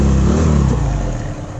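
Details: Hero Splendor Pro single-cylinder motorcycle after the engine-noise repair, with the timing roller reportedly changed. Revs fall away smoothly to a steady run with no tapping or rattle left: normal running.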